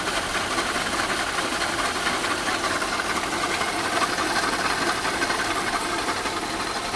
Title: second video of strange noise